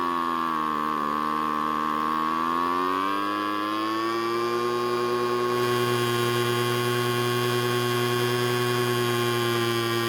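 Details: Two-stroke leaf blower that started but wouldn't stay running, idling on its newly fitted replacement carb during carb adjustment: buzzing idle whose pitch drops and wanders before climbing and settling; idle speed sagging, cause not confirmed.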